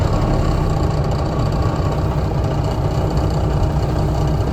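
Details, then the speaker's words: Semi truck diesel with a 24-volt starter fed by batteries switched into series while cranking: a deep, even clatter settles into a steady idle right after starting, with no stumble or knock. Normal idle. "That ain't too bad."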